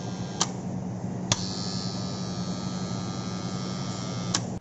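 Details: Motor starter contactor: constant low mains-frequency buzz with a few sharp clicks over it, humming rather than pulling in cleanly; cause suspected, not confirmed; contactor humming.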